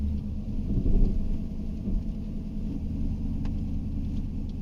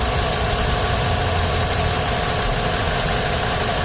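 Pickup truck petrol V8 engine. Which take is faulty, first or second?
second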